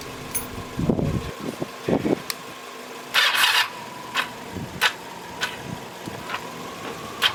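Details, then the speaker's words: Kawasaki Ninja 500 in cold weather after oil change, gas tank refitted, jumped from another car: short starter bursts with sharp clicks every half second to second, engine never catches; cranks, no start. "i was just trying and uh it wasn't starting"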